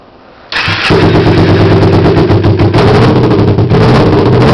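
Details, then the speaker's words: 2006 Kawasaki Ninja 250 engine running on its own outside the bike: brief crank, catches and settles into a quick, even, buzzy idle with no knocks or rattles; healthy start and idle. "Okay, this is a 2006 Kawasaki Ninja 250 engine. I'm going to start it up."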